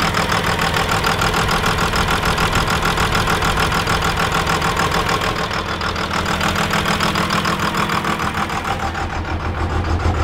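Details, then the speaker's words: Diesel engine first start after its injector lines were bled, with the lift pump priming and fuel reaching the injectors: a clattery, slightly uneven idle near 200 beats a minute as air clears, rough idle starting to sound better. "starting to sound a little bit better I'm gonna run it for a couple minutes now"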